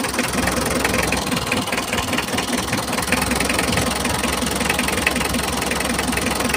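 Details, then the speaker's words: Mitsubishi L300 diesel that lacks power and uses too much fuel: lumpy idle with uneven clattering knocks during an injector-by-injector check. Nozzle three appears clogged, so all nozzles are being removed; rough diesel idle. "Sepertinya bagian noselnya tersumbat."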